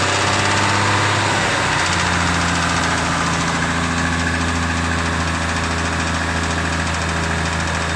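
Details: Lexus IS300 with turbocharged 2JZ-GE at idle: steady idle with fast, regular metallic tapping about three per second; owner unsure, suspects rod knock, cause not determined.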